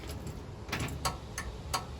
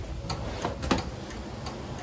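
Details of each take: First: 1936 Chevy coupe, newly wired universal turn signal switch with its flasher, ignition on: rapid, evenly spaced ticks about three a second with the lever off; flasher already flashing, owner first suspects its terminals are reversed. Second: 1936 Chevy coupe, universal turn signal switch after snipping the blue indicator-light wire: loud, sharp relay clicks at an even pace, with the left front and rear signals flashing; flasher now working normally.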